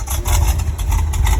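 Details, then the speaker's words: 1977 Corvette V8 with an aftermarket Weber carburetor instead of the Quadrajet, just started: deep, slow, lumpy idle pulsing unevenly, close to stalling; idle speed very low and needs adjusting. "It's like I said, it needs the idle adjusted because the idle very low."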